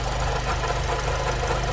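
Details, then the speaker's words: 2006–2011 Honda Civic Si with K-series engine at idle: faint gritty whir over the engine note from a worn water pump bearing that is starting to leak coolant; pump awaiting replacement. "So, still making that noise. I think it's starting to leak coolant."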